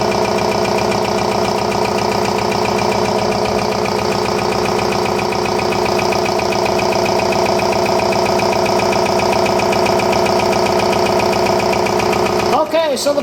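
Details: RCA SJT 400 CED videodisc player spinning a stereo disc on side two: loud, steady scraping grind with a fast regular rub two or three times a second, spinning platter dragging on a low-set ring; no video plays.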